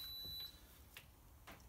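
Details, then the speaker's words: Indesit washing machine (9 kg) with F06 error, after replacing burnt door lock: start beep then soft clicks as the door lock engages on spin; lock now works normally, pump to follow. "there you hear clicking locking you'll hear the pump kicking next"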